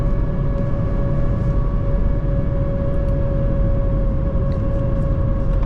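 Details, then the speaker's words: 2024 Mazda CX-30 Turbo Premium AWD, 227 hp, 6-speed automatic, cruising at highway speed after acceleration tests: steady mid-pitched whine over road and tyre rumble, not normal, source unknown. "What is that sound? Maybe someone can tell me, because I don't know. Definitely doesn't sound normal."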